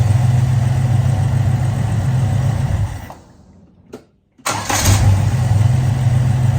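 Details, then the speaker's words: HZ Kingswood wagon 202 six, Trimatic, extractors, points ignition, 324,000 on odometer, after installing a new eBay carburettor and fresh fuel, warm after nearly an hour: shuts off, fires straight back up, smooth idle, all cylinders firing. Normal warm restart and idle. "Pretty good. Been running for close to an hour now. Temperature hasn't gotten up. It seems to be running idling a lot smoother than it was when I first started it."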